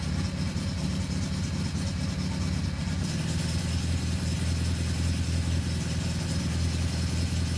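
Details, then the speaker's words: Datsun 1600 L-series four-cylinder on the dyno after EFI conversion with motorbike throttle bodies, running with no ECU errors. A low, steady idle that gets slightly smoother partway through, with no knocks or stumbles, before the 20-degree trigger offset is set. "see fired straight up so obviously it's closed and see it's running full no errors perfect"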